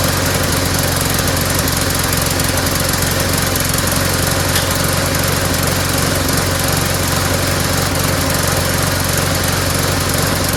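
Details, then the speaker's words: Lawn mower after refilling with fresh gas: steady, even single-cylinder drone with no surging or misfire. It sounds better and more powerful; normal running. "so it sounds better and it seems more powerful too"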